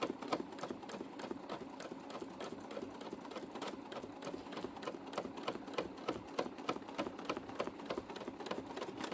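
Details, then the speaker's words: Sewing machine free-motion quilting with glamour thread, needle suspected very blunt: steady stitching around 200 per minute with heavier, uneven chunks in the rhythm; chunking stitch noise. "I started to chunk up on me did you hear that"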